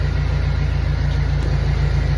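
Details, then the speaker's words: Warmed-up Jeep Wrangler engine at idle before adding an engine-restore additive: steady, fast light ticking over the low rumble; owner hopes the additive quiets it. "it's warm up right now uh does make a little ticking noise we're about to see if this thing does actually work y'all can hear it that's the ticking noise"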